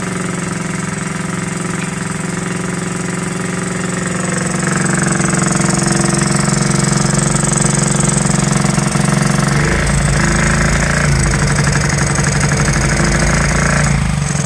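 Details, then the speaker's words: Honda Z50 first start after 35 years, after fork repair: loud lumpy single-cylinder beat at idle, wavering with throttle, running rich; owner suspects carburetor slide needle set too high and air screw needing adjustment. "all right [Music] guys really running rich and my guess if I can guess is that um the slide needle is up too high"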